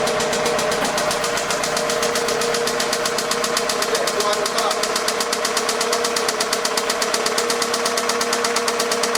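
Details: 2006 Toyota Camry 2.4L four-cylinder: steady idle with a fast, sharp tapping knock about three a second; worn bottom end suspected, and the engine is being replaced.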